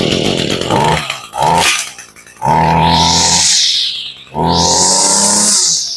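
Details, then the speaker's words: Echo GT-200R string trimmer, about 18–20 years old and long unused, started on full choke after priming. It surges in short revving bursts with stumbles and never holds a clean rev. The owner attributes this to an old spark plug, to be replaced. "Now, if you listen to that, that's the behavior of an old spark plug. Now, this does not rev as high or as fast as a modern weed eater does."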